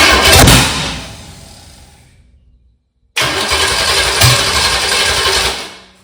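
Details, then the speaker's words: 1985 Chevy Camaro 400/406 small-block V8, first start in over 20 years after reseal and new balancer, high compression, stock starter, 700 CCA battery: cranks, catches in a loud ragged burst, fades, fires unevenly without settling; owner says it needs adjusting, ignition timing off. "Still doing the same thing I was doing in the yard. Okay, I think we're I think we need to move a little bit more to it adjust better."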